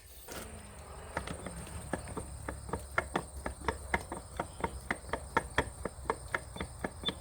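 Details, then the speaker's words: 1987 KX80 engine that hasn't run in years, head removed, turned over by hand: sharp, fairly even clunks about three a second, an obvious mechanical knock inside, cause not yet found. "you can hear that clunking really obviously now. I don't know how well it comes through on the camera."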